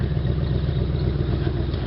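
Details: 1986 Cutlass Supreme, 305ci Chevrolet V8, cold start after sitting 60 days: lumpy uneven idle with occasional stumble, a cylinder cutting in and out; owner suspects bad plug wire or fouled plug, no black smoke or rich running.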